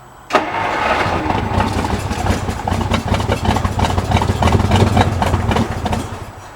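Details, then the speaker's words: 1950 Dodge, first start in 40 years, timing bumped a couple of degrees, weak battery, engine full of old oil: turns over, fires unevenly and runs a few ragged seconds before fading out. Owner says it can't get enough speed to keep running. Catches then dies. "just can't seem to get enough velocity to keep it running oh well there must be just a lot of I mean that was full of old oil and [ __ ]"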